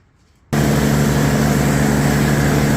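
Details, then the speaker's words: Customer's snowblower, auger not engaging before; carburetor cleaned for suspected stuck float, drive belt tension adjusted: small single-cylinder engine starts abruptly and holds a steady even drone without hunting or surging; runs quite well, oil change to follow. "And as you can hear, runs quite well, but I am going to service it, drain the oil, put"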